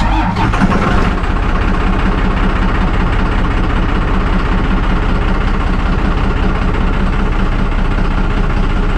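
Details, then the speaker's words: Truck started right after installing and priming a new part, lumpy uneven idle with wavering beat; rough running after start, owner suspects air in the fuel and plans to crack the injectors; it cleans up afterward. "okay it started it's running rough i'm probably gonna have to crack the injectors and get the air out"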